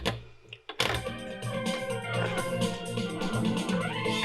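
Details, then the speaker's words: Roland SonicCell, organ tone on the left-channel output while the plug is wiggled: sound crackles and cuts out, then returns; the jack doesn't seat and bounces back out, a faulty TRS output socket, possibly a cracked solder joint. "Put it into the left channel, and you can hear there that it's cutting out as I wiggle it."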